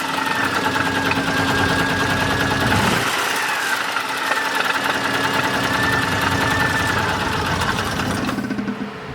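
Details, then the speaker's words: Argo ATV engine at 471 hours idling unevenly with a loose, irregular knock about three a second. Worn bearings are blamed, and the owner suspects low compression. A new engine is wanted. "that's probably another reason why it kind of runs like garbage is i'm sure it's losing a lot of now compression"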